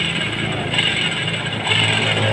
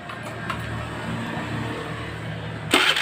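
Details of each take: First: Honda Vario 110 CVT gearbox turned by hand before disassembly: rough, gritty ratcheting rattle with a raspy high edge; worn pulley shaft and worn gearbox gears, expected to whine when ridden. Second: Honda Vario 110 scooter after transmission ratio-gear repair (it had a very harsh gearbox noise from something broken in the ratio gears): quick start to even idle, then clean sharp rev with no grinding or whine from the drive; sounds healthy.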